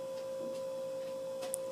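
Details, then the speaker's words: Restored 1987 Casablanca Zephyr ceiling fan with new bearings, speed four, mounted on the ceiling: steady smooth mid-pitched hum, no rubbing or clicking; running nicely, normal motor hum. "But yeah, it's running nice right now."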